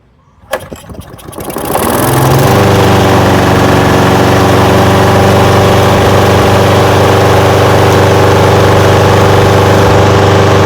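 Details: Old curbside Craftsman push mower with Briggs engine, first start attempt after adding fuel: a few cranking pulls, then catches and settles into a steady, even idle without stumbling, smoking a little; running well, normal start and idle.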